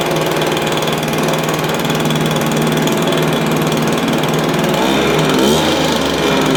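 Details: Stihl BR350 blower, formerly backfiring out the carburetor, after fitting the correct ignition coil to fix timing (knockoff coil was wrong); smooth, steady two-stroke drone, even firing, no popping or spitting back through the carb; running right.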